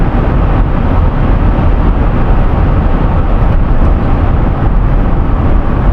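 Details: 2011 Toyota Sienna AWD after replacing the bad bearing in the rear viscous coupler, driven around 160 on the clock where it used to howl. Steady low road rumble with no howl or rising drone: rear driveline healthy at cruise.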